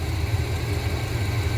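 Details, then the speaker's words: 1987 Chevrolet Suburban 454 big block with new exhaust, warmed up, during tuning: deep, rumbling idle around 700 rpm with a slightly uneven lope, timing at 14; not as steady as wanted. "Not ideal, not as steady as I'd like, but that's okay. Our idle is at 700, give or take."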